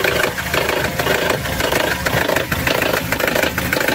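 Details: Petrol engine, mechanic listening close up: uneven bubbling, gurgling churn about twice a second over the idle. The noise is not from the valve area up top but from lower down. Suspected air-fuel mixture or electrical problem, not confirmed.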